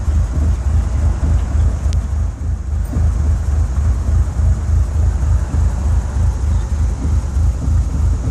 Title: 4g64 converted to 4g63 rough idle